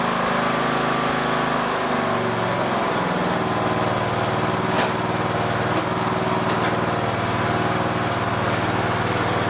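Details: Mower cranking on the same restored lead-acid battery, charged as far as it will take, still with one bad cell; it previously would not crank at all. Now strong, steady cranking at an even pace, no dragging. Normal starter cranking.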